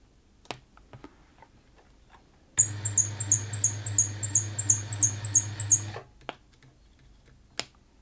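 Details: Bernette 50 sewing machine serviced after lack of maintenance runs about three seconds with a sharp high chirp on every stitch, roughly three a second; something dry is squeaking while its source is tracked down, cause not confirmed.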